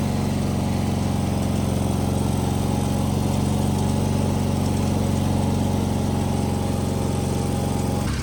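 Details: Wheel Horse 520H hydrostatic tractor running on its own gas tank, started by jumping the solenoid with a weak battery; steady, even beat for about eight seconds, then clean shutdown, no surging or stumbling; runs great.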